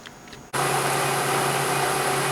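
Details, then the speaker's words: Used replacement drive motor for an old Famco horizontal bandsaw, bench-tested; smooth steady hum with even fan rush, no knocks or rubbing, motor runs healthy. "Okay. Uh, I guess that checks. I don't know if you can hear it. It's running though."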